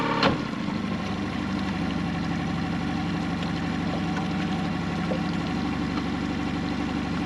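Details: Hood 23 sailboat outboard on unleaded 95/98 fuel, after repair of earlier forward/reverse problems, tested at the wharf: steady, even drone with a smooth low pulse and no knocks or misses; healthy normal running in forward gear.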